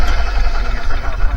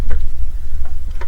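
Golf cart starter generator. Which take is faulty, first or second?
second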